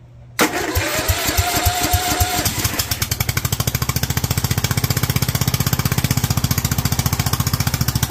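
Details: Kohler single with Honda carburetor, .024 idle jet and 45 main jet: catches after a few cranks, then a fast even popping beat that floats at about 42 instead of dropping back; jetting dropped too far.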